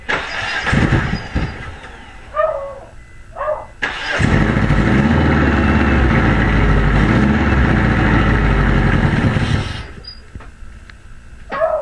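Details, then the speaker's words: Eagle Summit after head gasket reinstallation, valve cover off: the starter spins fast and light for about six seconds with an uneven beat and never catches. Compression is low; the valve lash adjusters are set incorrectly. "Okay, we still got bad compression. I think we have to adjust those lifters because on cylinder number three, the valve lash adjusters are broken."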